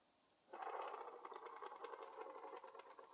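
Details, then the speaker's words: HO slot car axle pushed slowly on a box that amplifies the sound: an uneven, rattling scrape with a repeating wobble each turn; the axle is bent and needs replacing. "see that sounds pretty good didn't have all that wobble blah blah blah wobble sound"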